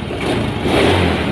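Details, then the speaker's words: Honda Beat scooter (non-ESP) after repairing a brittle, folded wire in the wiring harness that made the battery voltage drop; the battery is good and recently replaced. Revving now climbs and holds a smooth, even note with no stumble or dropout under throttle, where before it dropped. "udah gaspol kayak gini. Beda tadi ya digas nanti malah ngedrop tuh, harusnya begini tuh"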